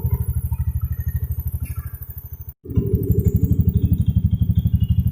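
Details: Honda Beat scooter that came in totally dead with a weak electric starter, kick-started after the fuel injection pump came on: even low putter, brief dropout, then smooth regular firing; running healthy.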